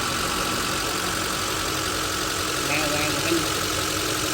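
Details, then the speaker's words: Honda CR-V 2.4, running on dual LPG/petrol, idling steadily right after start-up following repair of rough running and shaking. A light top-end clatter is expected to quieten as oil comes up; it runs smoothly. "นี้เดี๋ยวสักพักนึงนะขอน้ำมันขึ้นก็จะเงียบลงอีกนิดนึงครับหนูนิ่งเลยนะคะ"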